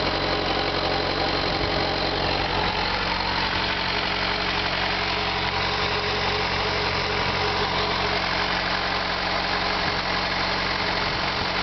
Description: Ticking noise on my FZ6.